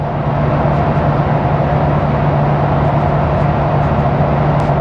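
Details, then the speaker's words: 2021 Ford Bronco Badlands two-door MIC hardtop, 7-speed manual, Sasquatch, in-cabin at highway cruise 110 km/h; steady heavy roar like a hurricane, about 75-77 dB versus 43 dB at 800 rpm idle, excessive wind noise for a hardtop. "So we're gonna hit the road. Sounds like a freaking hurricane in here. It's pretty loud. It's gotta be, like, it's not just me, it's loud. I think it's pretty bad considering this is a hardtop."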